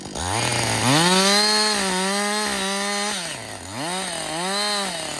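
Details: Husqvarna 562XP 60cc chainsaw, reflashed by the shop after dying when hot, not starting and stumbling, bucking dead windfall about two-thirds into a tank: crisp two-stroke wail climbs and drops cleanly with throttle blips and cuts, no bogging or stumbling; healthy.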